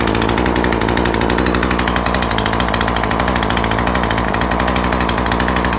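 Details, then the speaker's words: Neighbour's chainsaw, fairly new so a failed carburettor is thought unlikely, tested with the spark plug from an old saw: loud flat two-stroke buzz that never climbs in pitch; it still bogs and won't rev up. "อีกอย่างครับยังเร่งไม่ขึ้นครับมันมืดมืดยังไงแปลกๆครับ"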